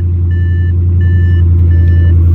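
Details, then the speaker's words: Salvage Audi RS7 after accident, first start on jumper box: loud, deep, unmuffled rumble at steady idle with warning chime about every 0.7 seconds; straight-piped exhaust with no muffler. "listen to that that is a straight piped rs7 there R is no muffler whatsoever in this bad boy"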